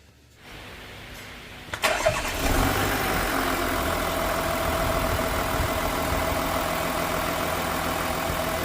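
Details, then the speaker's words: Volkswagen Touareg V6 TDI diesel with no-start and P0087 low fuel rail pressure, after new injectors installed and coded with VCDS: brief crank, then catches into a steady, even idle with no misses or knocks; normal idle. "so k kita niyo umaandar na ulit siya Nabuhay na siya"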